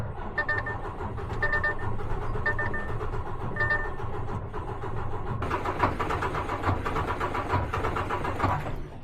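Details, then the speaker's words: DAF XF Euro 6 MX-13 diesel truck, no faults on the dash: the starter spins the engine in steady clicking turns, then it surges briefly and dies, stopping as it turns over; a crank-and-stall no-start. "That's like stopping as you're turning it over."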